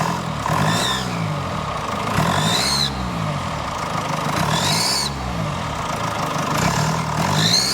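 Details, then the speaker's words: Mercedes GLE W167, 245 hp, about 175,000–185,000 km: each throttle blip brings a rising chirpy squeal and visible fumes, with soot at cylinder 1; exhaust manifold gasket leak, engine removal needed to fix. "I hope, I hope you can see the exhaust fumes coming out and the characteristic squeal of this car, this characteristic squeal of this engine."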